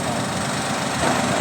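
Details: Toyota Wigo 2014 freshly overhauled engine; short stretch of smooth, even idle with no ticks or knocks; engine sounds healthy.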